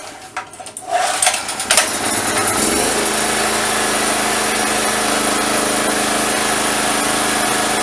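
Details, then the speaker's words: Single-phase gasoline generator that wouldn't start after long idle, after starter cord replacement and fuel/filter check, exhaust hose fitted: a few pulls and knocks, catches about three seconds in and settles into smooth, steady running. "Надів я трубу, щоб зараз тут мені не смерділо. Включаємо зажигание, заводимо."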